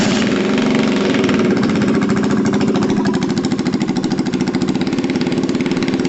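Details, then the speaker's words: Gilera DNA 125 scooter running at a fast idle with no exhaust fitted, after its spark plug was reconnected: loud, raw, crackling, unmuffled pulses popping steadily; a replacement exhaust is needed. "cool we know that one's fine obviously we need an exhaust order and exhaust"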